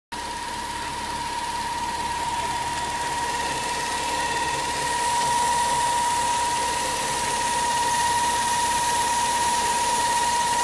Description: My e36 making a hissing noise so I believe it's a bad hose and it's making this squeaking noise with it.